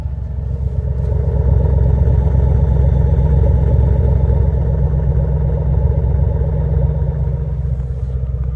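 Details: 2006 Mustang GT 4.6L V8, 38k miles, idling with a deep rumble and a light regular tick. It lost power after a loud pop when downshifting 5th to 4th at 75 mph; exhaust quieter, no check engine light.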